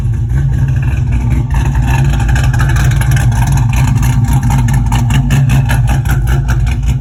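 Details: Pontiac GTO V8 after refitting old fuel pump, fuel line reconnected through the regulator, 50 psi pressure: deep, steady idle with even rumble, no stumbles, running about 10 minutes without shutting off as it used to; normal idle.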